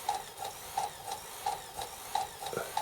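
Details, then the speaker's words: PS3 Blu-ray drive: sharp ticks and short buzzy bursts repeat unevenly about 87 times a minute while seeking, cause unclear. Noisy disc drive seeking. "That's also the other alarming thing. My PS3 Slim sounds like this. Where it does a fair bit of noisy noisy seek seek seek."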